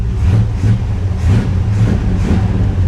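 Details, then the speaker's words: 1957 Chevy Bel Air V8 after rebuild, run-up with fan kicking on and coolant gauge staying cool; deep, even burble with light throttle blips, no knocks, ticks or power-steering whine; healthy normal revving, though a drip leak is still unlocated. "sounds good man she sounds really really good"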